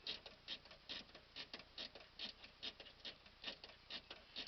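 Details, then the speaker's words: Dash clock of a 1949 Chevrolet 4-door Deluxe, running about 2 minutes fast. Crisp, even light ticks at about two per second, steady and unbroken: normal ticking. "it's really works the clock even works I got it I haven't even wound it up today"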